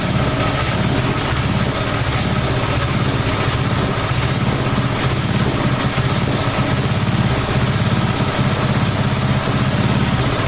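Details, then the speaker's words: About 1991 Texas garden tiller with Briggs & Stratton engine, abandoned for years, running with no choke at half throttle and no air cleaner: speed rises and falls slightly; engine hunting at idle, attributed to missing air cleaner. "can you hear that it is it is hunting a little bit because it doesn't have an air"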